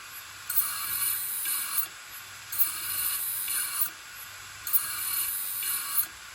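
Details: Old Toshiba 3.5-inch desktop hard drive with a mechanical failure, lid removed: repeated scraping metallic clunks about every two seconds as the actuator endlessly seeks for data. Hard drive click of death.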